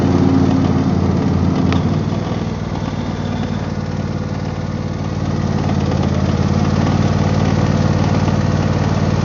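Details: Husqvarna YTH24V48 48in riding mower, all grease points greased: idling engine with light uneven rattle about three or four a second; owner suspects failing bearing.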